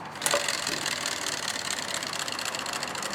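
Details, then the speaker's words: Old electric radiator cooling fan from a 2013 Nissan Sentra, replaced before it failed: fast, dry, hissy ticking as it spins, like something slapping the blades, much louder in the car; nothing found stuck, so the fault is assumed inside the motor. "So this is what the old one sounded like, except much louder when it was running. Like I say, it sounded like it had something stuck in it, but"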